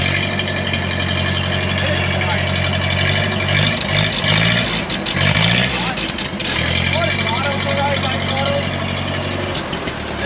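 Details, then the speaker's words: 1939 Ford 9N tractor with used engine rebuilt 30 years ago, first start after 25 years dormant, choked with some throttle: steady even low putter settling into a quiet smooth idle, no knocks or misses; engine running healthy. "give her some more throttle and like that and like that it's running [Music] victory it's so quiet"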